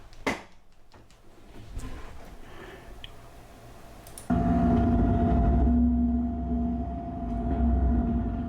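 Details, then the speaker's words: Desktop PC noise isolated to a GTX 560 graphics card: quiet clicks, then a steady mid-pitched tone over a constant low hum. "that is the video card but you probably already knew that"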